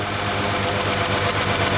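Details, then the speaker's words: Ford Freestyle 3.0 V6 with cylinder 1 misfire, after fitting a new ignition coil: crisp spark snaps about eight a second jumping a large air gap over the idle, versus the old coil's weak internal arcing. "That is able to jump a massive air gap."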